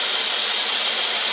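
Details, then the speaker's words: 2014 Mercedes E350, warm, with high-idle-after-warm-up codes and excessive crankcase vacuum, checked with a vacuum gauge: a steady high airy whistle over the running engine as air sucks past the PCV valve/centrifuge cover; a PCV vacuum leak. "you can hear adam air whizzing through a little valve you can hear it's like a you'll hear that"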